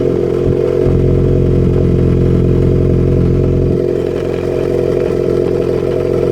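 Steady running engine with a recurring stumble and clattery unevenness in the exhaust beat, a rough misfire rather than a clean idle. Cause suspected, not confirmed.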